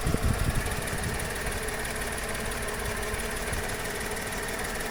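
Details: Skoda/Seat/VW 1.2 12v three-cylinder, code P0302, cylinder 2 misfire persisting after new plugs and coil; compression about 10 bar on cylinders 1–2 versus 14 on 3, exhaust valves suspected: uneven stumbling idle; misfire at idle.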